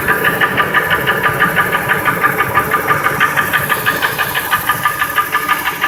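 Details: 2002 Ford F-150 5.4L 2V V8 without cam phasers: sharp even knock about three per second at idle, unchanged when each injector or coil is unplugged, drowned out above 1200 rpm; truck otherwise runs fine. Cause undetermined.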